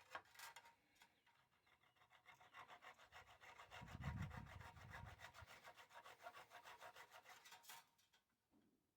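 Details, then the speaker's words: Hand filing a silver-soldered joint on a bandsaw band: steady, bright, high-pitched rasping strokes, about three a second, in a quiet room. The tone changes when the file reaches the steel parent metal. Normal filing. "It's quite a high-pitched noise when you file silver solar. But when it gets back to the parent material, the metal side of it, the steel side of it, you can actually hear it change tone."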